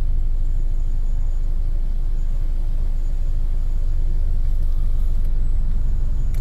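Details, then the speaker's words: 2008 Toyota Camry (also listed as 2009), restarted after stalling, AC on loading the engine. Deep uneven rumble, shaking and stumbling; misfire from low compression on two cylinders. "starts up shaking pretty bad I can feel it I don't know if he's gonna show on camera but now let's turn the AC on again see what happened the AC is on now it's shaking pretty bad"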